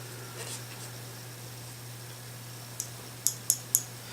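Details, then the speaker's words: AK-47 (WASR) bolt shaken during field-strip cleaning gives three crisp, light metallic ticks in a quiet room; the firing pin floats free, which is healthy. "So when you shake it, you want to hear that clicking sound."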